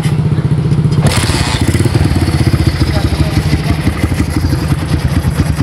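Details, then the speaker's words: Honda GL100 single-cylinder motorcycle with oil seepage and some black and occasional white smoke (valve seal or piston rings suspected), before service: even, steady thumping idle about three beats a second, no knocks or rattles; engine mechanically sound. "Hidup itu tidak ada kendala ya tepat sekali hidup cuman ngasap sedikit ya kita dia dulu"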